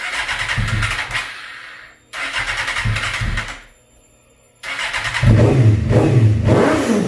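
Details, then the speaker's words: 2005 Suzuki GSX-R750 after stator-rectifier wiring cleaned and airbox installed: revs on each throttle blip, then fades and dies to silence twice; stalls at idle because the idle speed is set too low. "All right, so one thing occurred to me, and that was checking the idle, because I didn't hear the bike actually breaking up when I was going on a higher RPM. So I thought it's just not staying on."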